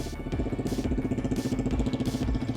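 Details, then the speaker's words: Yamaha WR125, bought as an unknown bike with a supposed wiring fault, started with the faulty button bypassed. It fires straight up to a quick, even single-cylinder idle through a loud exhaust, with no knocks or rattles; normal idle. "And it doesn't sound that bad."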